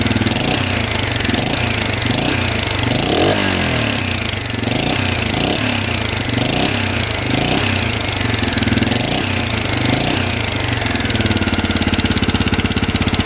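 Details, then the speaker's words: 1985 Honda XL600R single, sat for a couple years, 80 lb compression, running after oil down the cylinder: loud steady idle with even popping beat, no knocks, smoke clearing as it runs; hopes stuck rings free up. "not too bad still smoking though let this run for a bit hopefully those pesy rings can get uh free not too bad the smoke is clearing up"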